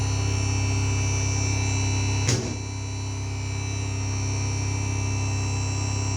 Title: 5.1 amplifier Humming sound comming